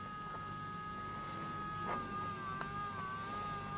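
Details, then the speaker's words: JGY 370 12V gear motor, a faster unit that could not be stopped by hand: steady high-pitched whine with a faint gear buzz, a bit loud, which the owner attributes to high motor speed. Normal gear motor hum. "काफी अच्छी Motors है इसकी आवाज थोड़ी ज्यादा है क्योंकि I think motor की स्पीड ज्यादा है"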